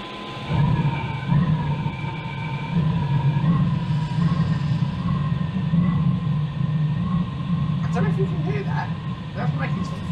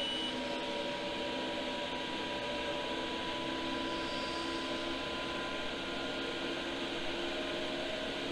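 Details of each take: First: Iveco Iris bus camper, Chinese diesel heater replacing Eberspächer, on 13.2 V bench power supply after a fan-failure error: steady low hum under a wavering thin tone with light rattles once fans kick in; unusual fan noise, cause unclear. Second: Iveco Iris bus camper diesel heater (Chinese unit fitted in place of the Eberspächer) after an earlier fan-failure error: fans now running with an even hum and a faint constant whine, making some odd noises but producing heat. Normal running.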